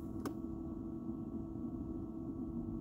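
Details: 2001 Jaguar XK8 with the key at the ignition position, engine off and climate controls off: a steady low hum from the cabin fan behind the glove box, which stops when the key is removed.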